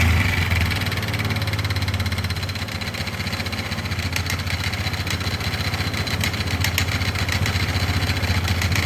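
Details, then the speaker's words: 2005 Polaris Sportsman 500 H.O. at idle: rough uneven rattle, three to four knocks a second over the single's thump, plus vibration; broken pieces caught in the CVT primary clutch; quad also won't drive forward or reverse. "it's still kind of Rowdy but I think it's all in that primary yeah it's all in this here huh"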